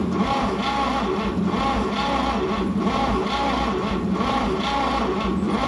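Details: 1950 Chevy 3100 pickup at first start attempt in 35+ years: steady even starter churning with a slow rhythmic beat and no firing despite good spark; won't start yet. Plugs are to be cleaned and the points badly need replacing.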